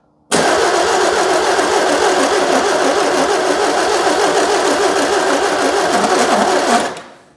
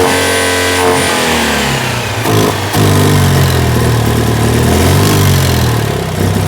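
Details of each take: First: 2CV-based Falcon S kit car abandoned 23 years, on a booster pack: starter turns engine slowly with heavy compression beats and no firing; slow labored cranking, carburettor float bowls likely overfull. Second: 2CV-based Falcon S kit car, abandoned for 23 years, runs for the first time after revival. The twin blips up, then settles to a sweet, even idle with no knocks or misfires, and the exhaust is solid.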